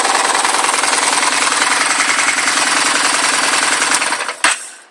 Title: Phantom engine knock??